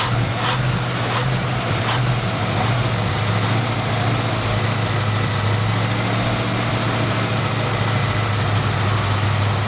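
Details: 1972 Dodge D100 truck, 318 V8, first start after sitting 13 years in a junkyard, fed gas from a jug: steady, even low rumble at idle with no knocks or misses; running smoothly.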